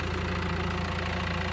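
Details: 2016 Mercedes A-Class, clutch disc found still good: steady, even idle with low smooth hum and regular soft pulses, no rattle or knock.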